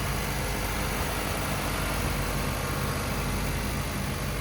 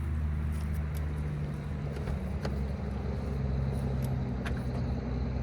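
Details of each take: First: Auction car, either a Honda Civic or a Toyota Camry, found with no oil on the dipstick and topped up before starting: steady, even, smooth idle with no knocks, misses or squeals. It sounds healthier than the other. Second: Honda Civic or Toyota Camry, one of two cheap used cars, started on a booster pack after adding 2 quarts to a low-oil engine: a rough low idle with faint uneven ticking. An exhaust manifold leak is suspected, probably needing a gasket.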